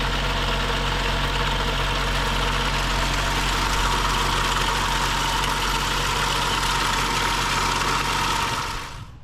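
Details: BMW 535xi M Sport N55 after new high-pressure fuel pump and cam follower fitted for knock and code 165014, air filter off. Catches and settles to a steady, even idle with a smooth low drone, no irregular knocking.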